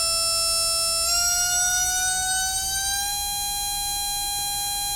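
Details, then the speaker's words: RC brushless motor on a SKYRC motor analyzer, phases not fighting, reading about 50–55 at 7.7; clean steady high whine stepping up then holding, quiet; normal motor run. "this is a really really nice motor yeah which means the phases aren't fighting each other when it's in working you know when it's operating sounds nice and quiet"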